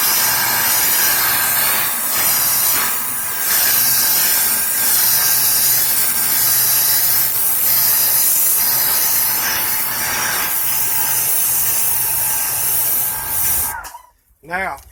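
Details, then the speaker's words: Greenworks Pro 2200 PSI electric pressure washer: loud steady spray hiss over a faint motor hum, even and unbroken until it stops. Running normally under load, and as loud as it gets. "Now, if you listen to this pressure washer, that's as loud as it gets."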